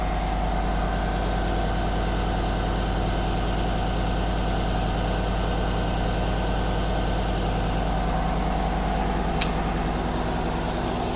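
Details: 2020 Chevrolet Silverado LTZ V8, nearly 60,000 miles, idling after serpentine belt replacement: smooth, steady low rumble with no belt squeak or squeal; water spray had quieted the squeal, pointing to the belt, not a pulley.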